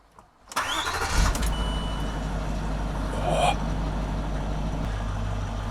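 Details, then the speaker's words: British project car, system check showing transmission, hill descent, parking brake and low coolant faults: starter whirrs briefly, engine fires first time and settles to a smooth, even idle; normal start and idle. "I mean, it sounds, from what I know of these engines, it sounds good. It fired up first time really well."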